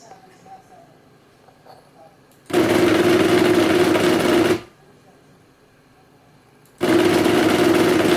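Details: Fanatec CSL Elite PS4 wheel running its 'FFB test' (driver 293 Beta, firmware 335, FEI 070): two loud bursts of fast, buzzy rattling over a steady mid-pitched hum, cutting in and out abruptly.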